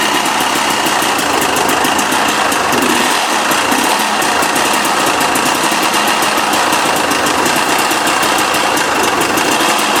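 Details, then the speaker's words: 2008 KTM 250 XC two-stroke woods bike, just acquired in a trade: at a fast idle a rough, crunchy metallic rattle clatters steadily over the engine; engine knock, something internal badly worn, cause not confirmed. "See, you can hear that. Man, Man, that sounds so crunchy."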